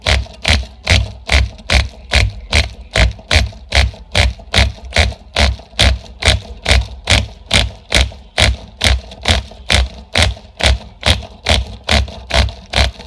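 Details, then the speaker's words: Sportwerks .05 cu in mini nitro RC engine, re-pinched by shrinking the cylinder sleeve, now with compression, on test bench with repaired pull start but no flywheel: regular sharp pops two to three a second that never catch into sustained running. "And hell, I can see stuff coming out the side, but since there's no flywheel to store the momentum, there's really nothing to keep the engine turning over until the next cycle."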